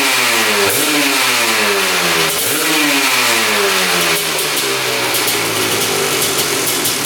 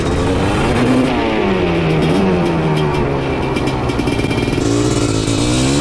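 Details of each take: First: Honda TRX250R two-stroke with a 310cc ESR big-bore top end in a TRX450R frame: crisp revs twice, then drops straight back to a steady idle with no hang, so no air leak. Running well; a coolant leak near the head was noticed. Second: Honda TRX250R two-stroke with 310cc ESR big-bore top end in a TRX450R frame, on race gas, after tank swap to stock: revs climb and fall but stutter and go ragged at three-quarter throttle instead of pulling clean; cause unconfirmed.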